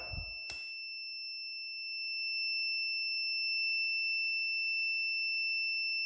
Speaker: That it's not stopping. But now it should stop if it opens. So in this case, this sensor will not open. That means it's stuck closed.